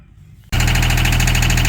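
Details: Wacker Neuson 803 / Cat 300.9 mini excavator diesel, bought as-is, glow plugs suspected: engine catches and settles into loud hard knocking idle, barely smoking; owner knows it's fuel knock but unsure if it should be that noisy.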